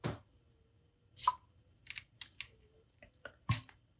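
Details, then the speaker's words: Mazda RX-7 FD sequential turbo charge relief valve, a spare unit bench-tested with a Mityvac: vacuum applied, valve starts moving at about 5 inHg (under 10), with a few crisp clicks as it snaps over promptly; working normally. "It moves with less than 10 inches of mercury. So starts moving about 5."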